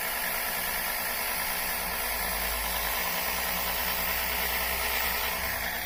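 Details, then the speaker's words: Electric oil extractor pulling Mercedes engine oil from the oil pan via a tube, first run: steady hissing rush over a faint low hum, no stutter or knock; suction strong enough to collapse the container, pump running normally. "there's so much suction it's sucking this cube in flat look at that boy it's really sucking"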